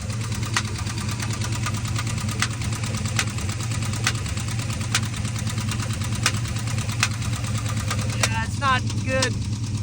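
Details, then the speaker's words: 700hp junkyard turbo V8 truck engine, freshly built, during a drive: sharp heavy tapping over a rough idle coming from the top end / cylinder head; owner suspected a lifter; valvetrain knock. "dude that's in the top end something's like in there"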